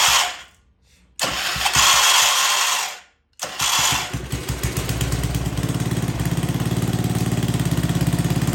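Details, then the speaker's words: Old Troy-Bilt Pony rototiller on old, stale-smelling gas with no fresh fuel added, after choke fiddling: two short cranking bursts catch, then a quick, fairly even putter settles in and keeps running. "well I'm not going to lie I did not put any fresh gas in this I don't know what it's running on but man is that gas stink in there so well it's got a Fighting Chance"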